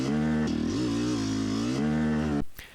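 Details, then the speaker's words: Yamaha YZ250X two-stroke on a hill climb: strong on the pipe, then pitch abruptly sags dropping into the mid-range as the sticky power valve slips off its held-up state; no mid-range power, later fixed. "all right sounding really good trying to come down to the mid-range and then an abrupt grossness and then that abrupt change is really the signature that's the power valve slipping off of its uh held up state if you"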